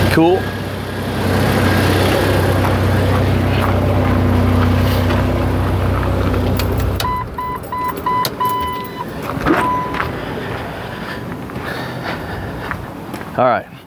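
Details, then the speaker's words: 1997 Jeep Wrangler with a no-crank fault, in park with e-brake on, cranked with a test light: steady starter cranking with an even low churn for about seven seconds, then it stops; starter turns the engine fine. "In park, e-brake is on. I'm going to crank it out here with my test light."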